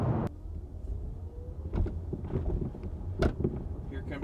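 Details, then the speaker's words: Hyundai Ioniq 5 rear hatch rattle, mic in the trunk beside the hatch: sharp rattling bursts over low road rumble as the car hits bumps, exaggerated in the recording. Two recalls and a TSB cover this rattle; going to service. "bunch of bumps for wow this rattling sounds extra horrible on the recording just to remember the microphone is in the trunk of the car right now sitting right next to the hatch"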